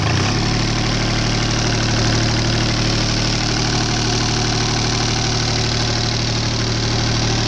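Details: Deutz 2009L03 3-cylinder direct-injected diesel on a test stand, cold at about 52°F after start; steady even idle with usual injection clatter at a regular beat, no misses or heavy knocks. Normal cold idle.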